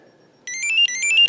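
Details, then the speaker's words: Denas PCM 4 electrotherapy device at intensity 40, lifted off the skin: bright warbling chirp repeating about three times a second signals lost skin contact (timer stops ticking); contact-loss alert tone. "if we put it back it's going to chirp that means that it's going back through the Cycle Plus you'll see the clock ticking whenever the clock's not ticking it's not making contact"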